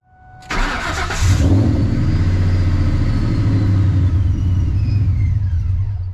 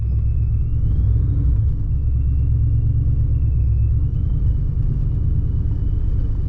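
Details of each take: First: Procharger-supercharged Ford Mustang Mach 1 with tuning problems, bypass valve swapped back to original: engine catches after long crank, then lumpy hunting idle struggling to stay running; took effort to keep it on, cause unconfirmed (bypass valves or tune suspected). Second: Procharger-supercharged Ford Mustang Mach 1 on the road, driving to work with windows down after two weeks parked: deep even rumble with faint high supercharger-like whine, smooth steady pull, no misses; sounds great, running well.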